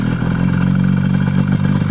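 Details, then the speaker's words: 1973 Polaris Colt vintage snowmobile, 250 twin two-stroke: strong even low drone, steady firing, no misses or knocks, "just purrs"; normal running. "Just purrs. I wish all my old vintage sleds ran as good as this one. This thing just purrs."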